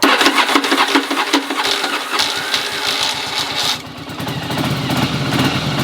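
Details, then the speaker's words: 1981 Yamaha Virago twin, cold stored and sitting a while, first start: harsh, uneven clattering whirr from the starter while cranking, a sound Viragos are notorious for, then it catches and settles into a lumpy idle on choke; normal loud starter engagement. "don't judge me because the starter is loud verago do that it's okay it might sound like it's broken but it's not"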